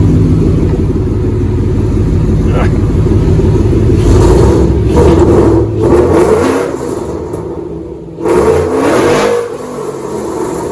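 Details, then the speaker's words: 2007 Mustang GT with freshly swapped Coyote V8, no control pack, first start, fuel pressure holding 55: revs climb strongly then sag and falter before recovering; stumbling under hard throttle, cause not yet known. "i might actually want to look at that one is stumbling under heart throttle"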